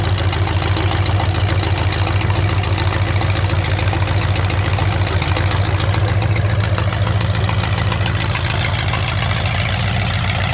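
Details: 427 big-block Chevy V8 on an engine run stand, first fire after sitting a long time; distributor timing just adjusted, possibly the wrong way. Loud crackly open-pipe chop with steady even rhythm, no knocks or stumbles; normal idle and revving.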